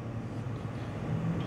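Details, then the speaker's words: Core 2 Duo desktop, upgraded over six months earlier and not cleaned since, case open: low constant graphics-card fan hum with soft whoosh, no rattle or scraping; GPU fan is the loudest but rarely loaded; normal fan running. "Я думаю, самый шумный вентилятор из всех присутствующих - это вентилятор видеокарт."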